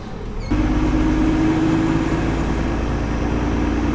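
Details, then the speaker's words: 2nd-gen Cummins diesel truck towing, after shifting into 4th: a thin steady whine rides over road and engine noise. Owner suspects gear whine, possibly something loose in the shifter; it occurs only in 4th and 5th. "I think that's the gear whining, unless there's something loose in the shifter, but it only does it in 4th and 5th, so that's not good."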